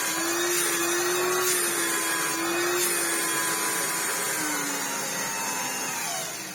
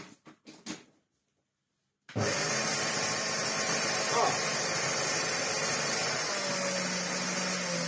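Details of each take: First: Hoover Turbopower 2 Autosense after refitting the thermal cutout link wire: steady high whine holding an even pitch, easing slightly lower toward the end; motor running smoothly, where before it ran terribly. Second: Well-used Hoover Turbopower 2 Autosense bought as spares or repairs, first switch-on with the belt off and hose removed: after switch clicks, a sudden harsh loud roar and hiss, rough and strained; the motor is completely burnt out.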